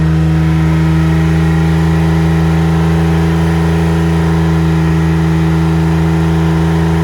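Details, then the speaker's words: $500 Ford F-150 former plow truck, first start after junkyard cylinder head swap: high, steady drone far above normal idle, like full throttle, won't settle; intake gasket not sealing, intake leaking, causing high idle. "well something's unhappy but it ran I don't know why it's like Full Throttle"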